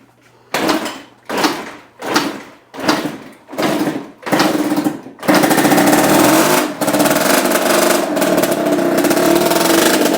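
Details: 1987 Kawasaki KX80 two-stroke after carburetor cleaning for a stuck float pouring fuel: a string of kicks, then it catches and holds a crisp, buzzy run with steady revs; starts and runs fine.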